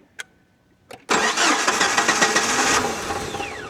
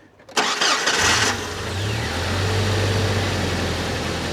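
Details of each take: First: 1998 Jeep TJ Wrangler started on a jump box with battery disconnected: quiet clicks, then engine catches and runs roughly with uneven surging; this Jeep needs its battery connected to run right. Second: 1998 Jeep TJ Wrangler cranked with regular battery connected after jump-box test: brief crank, fires at once, flares, drops into smooth steady idle; normal start.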